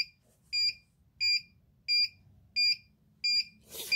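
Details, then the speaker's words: Arduino ammonia detector for chicken coop (MQ135 sensor, 16x2 LCD, fan) sounds sharp steady buzzer beeps, six in four seconds; reading spiked to 400–500, dangerous, falling 160, 140, alarm above threshold. "Jadi values berbahaya, nilai sangat berbahaya bagi kesehatan tubuh manusia. Saat ini menurun 160, 140. Oke, buzzer akan saya tutup karena suaranya terlalu keras."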